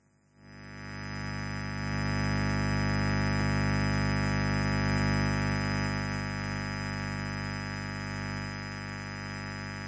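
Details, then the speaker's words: Microphone cable tested on its own with the mic switched off and the channel volume at 11: a constant, loud buzzing hum with gritty overtones, showing a poor, noisy cable. "seperti yang kalian semua dengar, kebisingannya memang sangat buruk, kan? Kabel mikrofon ini."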